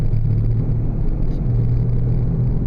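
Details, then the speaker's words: 2000 Oldsmobile Silhouette minivan driving at 20–25 mph: deep steady droning hum or growl under road noise, louder with speed, briefly vanishing in a left bend; suspected worn drive axle wheel bearing hub, to be replaced. "at 20 mph now 25 you can probably hear it it's a loud hum or a growl truth is yesterday my wife was driving this car and called me on her cell phone and over the cell phone I could hear the the howl or the growl the loud hum"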